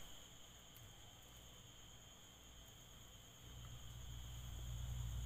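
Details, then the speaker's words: Altec Lansing 2.1 active subwoofer speaker system: one channel gives no audio and a steady low mains hum drones from the speaker, growing louder partway through; hum persists even with audio. "So ang problem nito mga lods is hindi tumutunog itong ano ito itong channel na to is walang ano audio and then may pagka-hamming din siya. So may haming siya."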